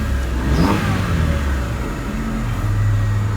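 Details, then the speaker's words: 1997 Honda Civic, 1.6 liter engine, 222,925 miles: steady low engine note rising and falling smoothly with throttle, no knocks or rattles. Healthy engine revving. "Oh, she got 222,925 miles. It's that 1.6 liter power."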